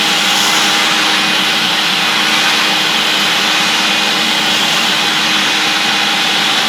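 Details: Vintage 1976 UK-made Hoover S4002 Freedom cylinder vacuum cleaner running: a bright, constant high whoosh with an even whine, no scraping or fluttering; normal running.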